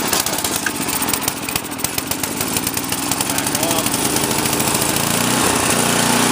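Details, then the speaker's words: MTD 8HP snowblower engine started on choke after priming: runs with a rising, unsettled speed instead of a steady idle, surging at no load from a lean carburetor. "it should start up using on one pole here hopefully you'll probably still be surging it I can't really do anything about that right now"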